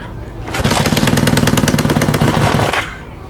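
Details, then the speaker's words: Kawasaki Z650B restoration, engine first run in about 10 years: ragged, lumpy, noisy beat that never smooths, running on three cylinders; number one exhaust pipe stays cold, owner suspects carburetor calibration or coils; misfire on one cylinder. "three of these exhaust pipes are are getting warm but the last one isn't that Stone Cold and that indicates there's a problem with some of the number one"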